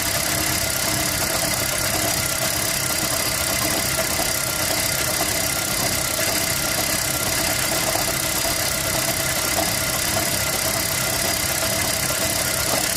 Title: Toyota prius 2011 misfire